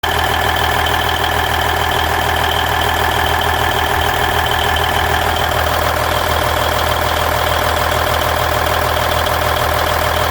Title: Cummins N14 Engine Sound Noise at Idle 1999 Volvo VNL 610